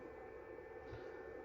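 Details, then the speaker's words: New Eco-Worthy charger for a lithium battery, switched to 10 A mode but delivering only 2.7 A: its cooling fan gives a quiet, steady, even whir with no rattle, quieter than the previous charger's fan, running normally. "Donc là par exemple si je vais me mettre en mode 10 ampères, là on entend le ventilo qui tourne. Et pourtant ça tourne qu'à 2,7 ampères. Mais le ventilo il est moins bruyant."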